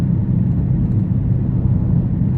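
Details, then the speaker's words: Car with a rear wheel bearing noise, suspected passenger side, while cruising: low steady droning hum under road rumble that gets louder turning right as weight loads the left side and quieter turning left. Worn wheel bearing. "So, I go left, it quietens down. I go right, it gets louder. So, as I turn right, the weight of the car is moving to the left, which is loading up the left hand side of the car, which means more weight on that bearing, which is why it gets louder."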